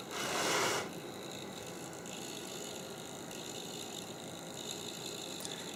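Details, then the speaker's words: Creality CR-10S 3D printer cooling fan: a steady whirring hiss with a faint ticking rattle after a brief louder burst. "still making weird noises let me check this"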